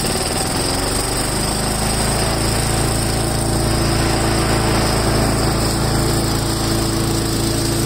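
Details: Craftsman 4-in-1 mulcher started on full choke after a drive belt replacement: the small single-cylinder engine runs at a steady, fast, even beat with no misses or knocks. Normal running.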